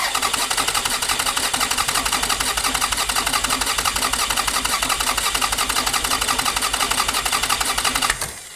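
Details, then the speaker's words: 2002 Toyota Solara, 300K miles, overheated and died at a stoplight, cranked with the ignition fuse pulled (no fuel or spark) for a relative compression test: an uneven, lurching starter beat shows irregular compression. The cooling system is completely dry of coolant. "All right, that did not sound good. There is clearly an irregularity of compression here."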